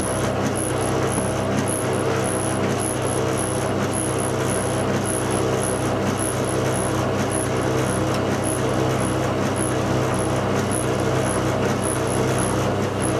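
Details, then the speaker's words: Washing machine bought August 2007, only months old: dreadful steady low rumble with a faint light tick about once a second as the drum turns; cause unknown, engineer called. "I'll do it once more. You can hear the noise is dreadful."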